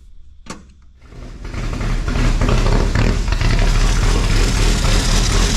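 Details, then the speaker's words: Race car engine after valve lapping, idle set to about 1600 rpm, fuel just primed to the carburetor; brief slow, labored cranking with dragging starter before it catches into a deep steady run. "You still hear that starter dragging, but got it, so let it get primed,"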